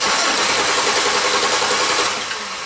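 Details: 2005 Chevy Impala that stalls occasionally: continuous starter cranking with no firing while a missing cam sensor signal is suspected and wiring is probed; crank no start, later traced to injector and cam harness problem.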